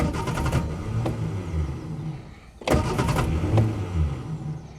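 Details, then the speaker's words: Reliant Fox that ran out of fuel, cranked after a top-up: two cranking bursts with low, irregular coughs that never build into a run; the owner finds coughing without fuel odd. Out of fuel, cranking with coughs. "I'm interested to know why she's coughing when she isn't getting any fuel. That's quite odd."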